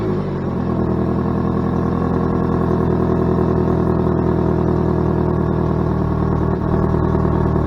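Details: Saturn Ion Redline after a J-B Weld tailpipe repair wrap patched a hole in the exhaust pipe, wrap not yet cured, heat shield refitted: engine starts and settles into a smooth, steady drone with no puffing, ticking or hiss; exhaust sealed.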